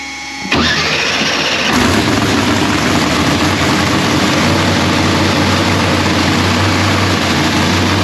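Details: Procharger-supercharged Lexus race engine, freshly rebuilt with new parts, restarted for a quick heat cycle before a valve-cover check. It catches and settles into a strong, steady, lumpy idle with no knocks or ticks; healthy.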